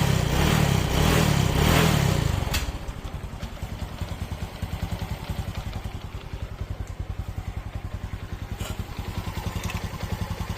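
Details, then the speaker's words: Honda Wave/Dream 125 that came in with a loud clacking engine noise (timing chain/valve noise). After the repair, using a non-genuine replacement part, a brief rev drops to an even, quiet idle with no ticking or chain rattle. "โอเคครับเสร็จเรียบร้อยเงียบกิ๊บเลย"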